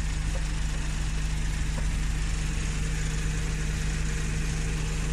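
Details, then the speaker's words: Suzuki Every wagon idling with the aircon running: a steady, constant low hum with no engine shake and no ticking. The engine sounds in good condition. "Hindi gumagalaw ang makina. Wala sa ingay kahit tunting tik-tik mga kajod. Importante talaga yung ingay niya."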